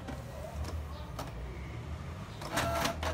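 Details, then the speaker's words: Canon G3111 printer during a factory reset sequence (Stop pressed five times, then power): mechanical clicks and a whirring feed motor with brief rising tones as it feeds out an information sheet; normal operation while it finishes initializing. "ainda tá armando o motor dela, o barulho dela, ainda tá armando o ronco dela"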